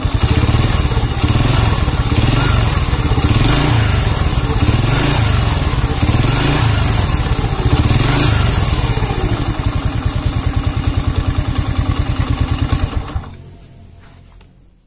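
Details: Honda C100 single-cylinder with a rough engine sound and sluggish pull: coarse, uneven clatter and thumping over the exhaust beat before it dies; cam chain or piston suspected, source not yet confirmed.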